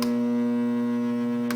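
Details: GE AJA12DFV4 air conditioner, made 1997: a steady low electrical hum continues while plugged in with the dial switched off, until the circuit eventually trips; something inside stays energised, cause unknown.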